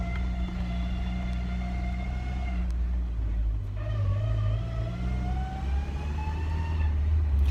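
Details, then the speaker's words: Old Ford Ranger driven uphill at speed, clutch previously stuck then freed: clear whine rising in pitch with speed over road and engine rumble; owner suspects a failed transmission bearing, plans to pull transmission. "uh but it does have a transmission problem uh a terrible whine I'll let you hear it sounds like we have a bearing out out you can hear it good when you drive it"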